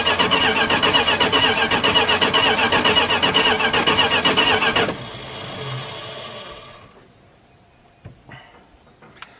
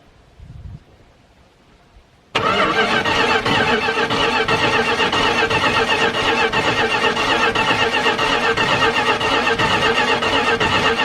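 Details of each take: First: Dodge D150 pickup, engine unstarted for at least 25 years, ignition jumpered: even starter cranking at about four beats a second for five seconds, never firing. There is no spark from the coil; a bad distributor is suspected. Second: Dodge D150 Mopar truck engine cranked for the first time in at least 25 years via jumper wire, starter found loose with upper bolt missing: even rhythmic cranking pulses about four a second, no skips; compression sounds healthy and balanced.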